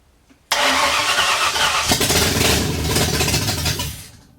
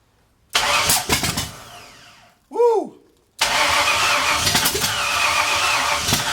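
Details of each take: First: 1964 Ford F100 with salvaged roller-cam 302 V8 from a 90s LTD, first run after sitting since the 1990s, open headers, in garage: sharp catch then loud raw rumble for about three seconds; runs well, timing still slightly out. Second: 1964 Ford F100, off the road since the 1990s, with a roller-cam 302 from a 90s LTD. The loud, raspy V8 catches after brief cranking and runs unevenly through open pipes, consistent with ignition timing still slightly out.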